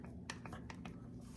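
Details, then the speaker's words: Holley carburetor throttle (butterfly) shaft wiggled by hand: light, irregular metallic clicks from a worn shaft with play in its bores, which leaks fuel when flooded and is suspected of causing a vacuum leak. "This thing wore out, and it's causing, I'm sure, a vacuum leak."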